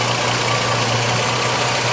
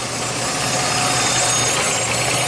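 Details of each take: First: 2006 Jeep Liberty, transmission removed three times and torque converter replaced chasing a buzzing noise, restriction found in aftermarket trans cooler and bypassed: steady, even idle hum with no whine, buzz or fluctuation; normal idle. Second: 2006 Jeep Liberty, transmission removed three times and torque converter replaced: after about four minutes of running, a faint high-pitched whine over the idle grows louder as the transmission warms. Owner points to the pump or torque converter area. Transmission whine.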